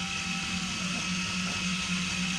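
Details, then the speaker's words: Allis Chalmers WC 3.3L four-cylinder head rebuild: valve spun by drill on gritty lapping compound, pulled back against its seat; steady drill whine with fine gritty rasp, normal valve lapping. "Alright, so he's pulling back on it now and grinding the valve in."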